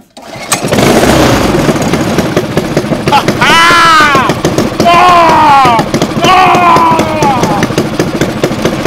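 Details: Predator 212cc stage 2/3 mud motor build with a billet flywheel, billet rod and dyno cams, first start on 10W-30 break-in oil: the single-cylinder engine fires and revs smoothly up and down with no knocks or misses; runs fine.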